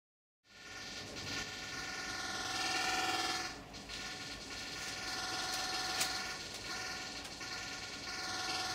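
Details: Hotel room air conditioner in Zhuhai, recorded unboosted: loud steady drone with several fixed buzzing tones, rising and dipping slightly; abnormally noisy aircon buzzing, cause unclear.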